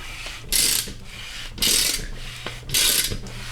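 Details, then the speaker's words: Flood-damaged Acura NSX C30 engine with the cylinder head off and pistons cleaned of rust, hand-cranked: slow, even turning with an airy whoosh about once a second and light ratchet clicks; turns freely and sounds airtight, normal free rotation. "And it sounds healthy, it sounds airtight. If you guys have ever cranked an engine over like this without a cylinder head on, with some nice clean pistons, you know exactly how this sounds."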